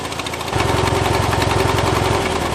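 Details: Mower that died mid-mow restarted on a low battery with barely enough power: the engine catches after a short crank and settles into a steady, even idle with no misses. It starts and runs normally.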